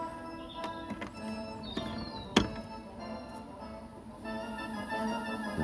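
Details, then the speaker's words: Sony CFS-1030L radio cassette after overhaul and cleaning: clear, steady station audio while the dial is swept, with no crackle or dropouts; long wave, medium wave and FM all working properly. "you can see, the radio seems to be working fine. I've tried the other bands and they all seem to be working fine. Long wave, medium wave and FM all seem to be working fine."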